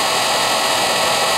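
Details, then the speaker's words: Rebuilt Raymond electric motor with new brushes, near the end of about three hours of break-in on old lead-acid batteries: smooth, steady high whir with no crackle or scraping. Much quieter now that the brushes are seated; running normally. "we'll be done with it it's much quieter hopefully you guys can tell that"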